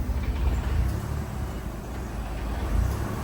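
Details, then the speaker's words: 1986 Dodge Daytona Turbo Z Shelby with the idle air control connected: low, uneven idle swelling and sagging every second or so; surging and rough running, which was significantly smoother with the IAC unplugged. "we're just going to pretend we didn't see that oh starting to Surge and run"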